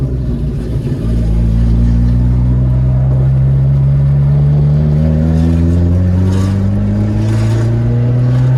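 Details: MK2 Jetta whose front exhaust section rusted through, leaving the muffler dragging on the ground: deep, loud booming drone rising steadily as the car pulls away, far too loud and raw.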